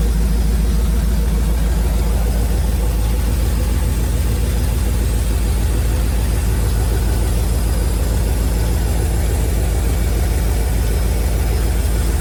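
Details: 1971 Chevrolet C40 truck, freshly started after carb cleaning and idle mixture adjustment: deep V8 idle with regular low puffing knock about two per second; owner attributes it to the shot exhaust, blow-by minimal.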